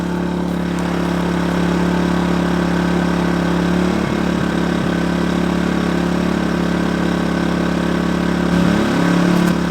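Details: Kings 2 kVA generator powering a caravan: a steady, even drone dips slightly in RPM as the fridge is switched off, then settles smoothly before a soft-start inverter air conditioner is started. Runs healthy under electrical load.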